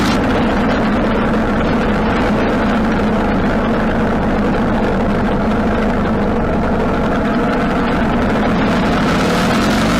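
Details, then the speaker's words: 1995 Harley-Davidson Sportster 1200 on a road ride after a carburetor rebuild and clean, going through all the gears: an even V-twin drone with no popping when the throttle closes. Before the fix it died at idle and backfired through the carb. "alright so the bike ran really well actually went through all the gears just about half mile down the road or so and turned around went through all the gears when you let off the throttle doesn't pop anymore"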